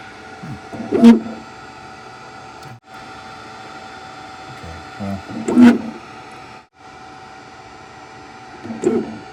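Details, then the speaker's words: AOSEED X-Maker Joy AI 3D printer, new out of a damaged box: quiet steady hum broken by three short rattling vibration bursts a few seconds apart; intermittent abnormal mechanical noise, cause unclear. "When I turn it on, it's going to make a sound. It does not sound normal. The vibration right there."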